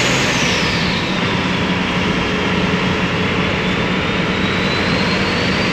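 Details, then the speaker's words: Custom Ford F-550 with Cummins diesel and compound turbos on its first test drive: smooth, even roar under load with pitch shifting with road speed and no knocks or rattles; runs healthy. "this thing runs good all right well the uh official first test drive was a uh huge success"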